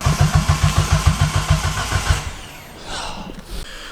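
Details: Nissan 200SX S13 CA18DET rebuilt with forged parts, first start attempt: starter cranks steadily about three and a half beats per second but never catches; cam angle sensor drive snapped.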